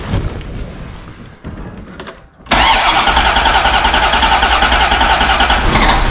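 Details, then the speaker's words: 1991 Chevrolet Corvette ZR1, 5.7L 32-valve LT5 V8, manual (clutch in): steady starter cranking about 3.5 turns per second, no firing; fuel pressure only 5–10 psi on key-on versus 40–45 spec, owner suspects failed primary/secondary fuel pumps; crank no start. "If I turn the key to on, you see the fuel pressure gauge there just bumped up to maybe not even to 10 psi. It should be like 40 or something, maybe 40 to 45 on these, and nothing."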